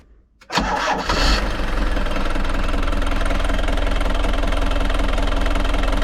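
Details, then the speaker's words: Frankia A595 motorhome, old Nissan diesel, sat 12 years, restarted after filters were installed: fires after a short crank with a bit of smoke and settles into even, steady diesel idle clatter, no misses; a runner. "yeah I would say that's a runner uh it's gonna shut it down we'll finish this one out Okay so we've answered the question yes it does start"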